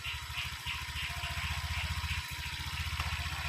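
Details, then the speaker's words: Honda Vario 125 LED with MIL code 52 (lost ignition), radiator refilled and spark plug refitted: engine starts, steady even single-cylinder idle, regular pulses, no misses or knocks; MIL no longer blinking, normal idle. "Sekarang kita coba Nyalakan ya [Musik] oke mesin sudah menyala"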